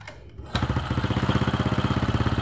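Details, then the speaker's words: Old Honda Supra X with suspected weak stator and no charging (about 12.8 V): one kick and it starts easily, settling into an even idle putter; charging voltage is checked next. "Motor terasa enteng ya untuk hidup awalnya. Tadi 1 kali pancal aja udah bisa hidup ya."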